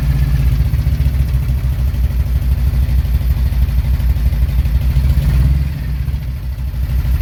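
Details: 1997 Harley-Davidson Road King fuel-injected V-twin, cold January start: deep loping idle around three beats a second, sagging briefly near the end; cold-blooded, owner thinks fuel injection still needs tweaking.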